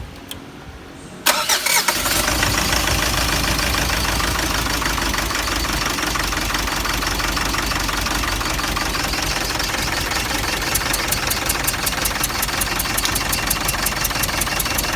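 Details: Mitsubishi Triton 4D56 2.5L diesel at idle: uneven, lumpy idle with irregular clatter, a misfire; first diagnosis found the no.1 injector faulty and compression lost in cylinder 1, and the head must come off to confirm.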